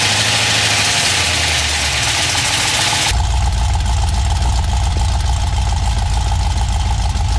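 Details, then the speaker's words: GM 6.0 LS V8 running on a stripped-down factory truck harness idles roughly with a fast metallic knocking on the passenger-side bank; the dipstick end caught the windage tray and was pulled under it, so the crank struck it. "I don't know if you could hear it in the videos, but there was some kind of hellacious noise on the passenger side bank, and it sounded bad."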